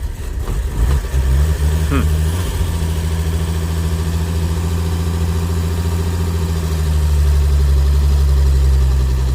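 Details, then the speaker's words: 1920s–50s vintage vehicle at auction, cold-blooded, manual choke pulled: just-started engine settles into a steady low idle, rising slightly as it warms on choke; even firing, no knocks; normal cold start idle on choke. "And it's cold-blooded, so you'll Yeah. need to choke out for a little."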